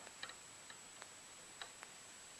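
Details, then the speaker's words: iOptron Cube E 8500 telescope mount, Alt axis shaft turned by hand, giving scattered dry clicks and jerky spots; a worn, grinding bearing, probably behind the star trails, that was replaced. "kind of like spots where it jerks. So I think the bearings inside are having problems."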